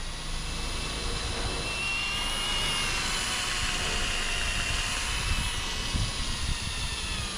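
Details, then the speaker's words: Pontiac 455 V8 oil system being primed with a drill through the distributor hole: steady high drill whine straining as resistance builds, the drill working hard enough to shake the engine. "You should start to feel some resistance when the oil system's priming itself."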